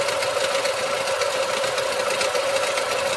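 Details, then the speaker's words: 2024 Lada Niva Legend 4x4 with about 20,000 km, before a remetallizing oil additive takes effect: light, fast metallic ticking chatters over a steady warm idle; it vanishes on throttle, then returns with slight engine shaking; cause unknown. "Ну, кстати, вот время и появился такой рваненький звук. Сейчас мы пойдём на улицу и послушаем. Вот такой вот металлический звук."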